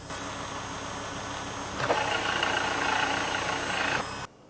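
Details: Focus XR5 Turbo idling: busy, gritty whirring growing louder midway, checked with an automotive stethoscope or screwdriver; worn auxiliary belt tensioner bearing suspected, then replaced.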